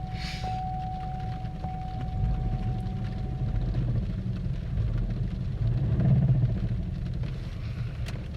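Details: 2002 Pontiac Grand Am SE 2.4 with 139,000 miles, long sitting, idling rough with a deep, heavy knock of about four per second; number 2 rod knock suspected.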